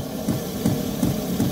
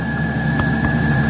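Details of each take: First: Iveco Daily camper diesel heater showing error code 10: steady fuel-pump ticking, nearly three per second, over a low fan hum with no burner roar building. The heater is trying but failing to ignite. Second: Van diesel heater (Iveco Daily camper) after error code 10, no ignition; cracked fuel filter found and fuel re-primed: steady even combustion roar over constant fan whine, hot air blowing, no sputter; normal combustion after fix.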